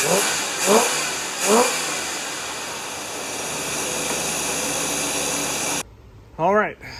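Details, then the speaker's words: 1975 Lincoln V8 just reassembled, first start-up, vacuum lines plugged and carburetor not yet tuned: steady, even, quiet idle with a faint breathy exhaust hiss from a hole in the muffler; runs smoothly, slight muffler leak. "it's never run this good and it is so quiet man I can hear now it's got a hole in the muffler couldn't hear that before but uh yeah it's running really nice"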